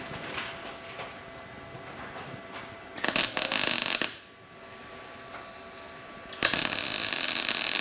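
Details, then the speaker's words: Everlast Cyclone 200ES inverter MIG welder, first strike on the built-in preset of 19 volts at 260: crisp, even sizzling like frying bacon; normal, stable MIG arc, weld pretty gray so likely needs more shielding gas. "Oh, that is nice. So, this does have a you hear that crisp bacon sound."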